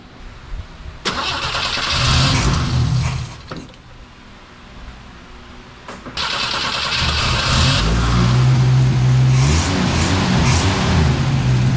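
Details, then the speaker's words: 1964 car after replacing a torn carburetor gasket: cranks, catches, revs cleanly twice, then holds a steady, even idle on its own with no stumbling or hunting. "all right that sounds much better much much better yep it idles on its own now"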